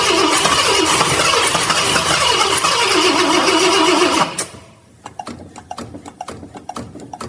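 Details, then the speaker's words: 1966 Ford Galaxie 500 XL, 390 FE V8 with new 4-barrel carb, floats and needle and seat just redone: fires briefly, dies after about four seconds leaving clicks; carb flooding, fuel gushing out, carb to be pulled. "Okay, never mind. It did just kick off for me. Man, that's really gushing out of there. That's unfortunate."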